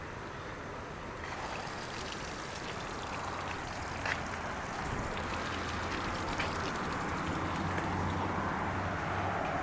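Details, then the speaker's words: Chaparral boat engine, recent purchase, run a couple of minutes after carb rebuild, new spark plugs and shift cable: rough idle with a steady, uneven knock under water splash. The knock is from cylinder 7, which has zero compression. "This is a boat that came in that was a recent purchase, and it had a bad knocking noise in it, and we could hear that when we were trying to start it. So we ran a compression check and found that there was 0 compression on number 7."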